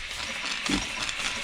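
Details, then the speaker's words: 1950s German engineering-students' steam engine on its first test run since then, fed steam from a DeLonghi coffee machine because its boiler has holes; the cylinder must heat up first. Soft steady hiss with a puff and clack about once a second; normal running. "It is so big that it takes quite a lot. It kind of fills with water and it has to heat the cylinder first before it will run."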